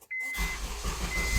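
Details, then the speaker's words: 2007 Honda CR-V with intermittent no-start despite new starter: thin steady buzz from behind the dash when turning the key, engine starts with firm push but still buzzes; faulty ignition switch, replaced. "they told me that it makes this buzzing noise from behind the dash and that right away tells me that it's got a bad ignition switch"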